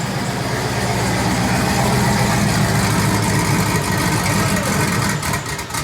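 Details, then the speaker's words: 1999 Chevrolet Silverado Z71 5.3L V8 just after longtube header install: deep, loud, even rumble at steady idle, no misses or knocks; a possible leak was noticed at a header afterward. Normal idle. "oh she sounds healthy christmas time in here every light's on that sounds so good"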